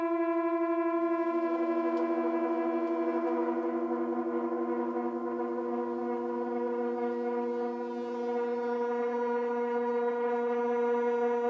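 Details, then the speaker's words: Propane garage heater with a striker and a rear lever, button held long to light: a loud, steady foghorn-like hum with strong overtones on every startup; owner guesses air in the hose but doubts it, cause unknown. "whenever you start this one up if you've ever seen Finding Nemo it sounds like whenever Dory tried to talk to the whale that's exactly what this sounds like when you try to start it up and I don't know why it does this I'm assuming it has something to do with like air being in the hose or something"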